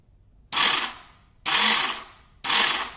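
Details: 2015 KTM 250 XCW electric start: three harsh metallic grinding bursts about a second apart with no engine turnover. The starter spins but the worn Bendix drive doesn't engage, a common KTM e-start problem fixed by fitting the updated Bendix.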